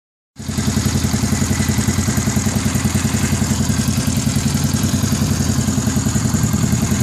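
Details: New Gilera 110 single-cylinder motorcycle at steady idle: a dry, rattly clatter rides on every beat; abnormal internal engine noise, cause not yet found.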